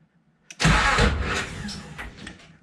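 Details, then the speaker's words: 1987 Nissan Pathfinder VG30i (fresh bottom end, aftermarket cams) converted to 1995 VG30E EFI, on its first start attempt: a short crank, then a ragged cough that fades without catching. It was not at top dead center and the distributor was 180° out, on the exhaust stroke. "well after talking about top dead center I didn't have my Riga top dead center when I just tried to fire it which is the problem round two item number two I had my distributor 180 off was on exhaust row not a compression stroke"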